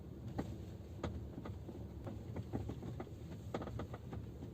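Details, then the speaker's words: Geely Atlas driving on a bumpy forest road, sharp irregular knocks from the rear cabin over low road rumble, from the rear seatback latch mechanisms knocking at the latch eyes on both sides; owner then tries wrapping electrical tape. "Как оказалось, это стучат механизмы защелкивания спинок задних кресел. Послушайте, как это звучит на ходу."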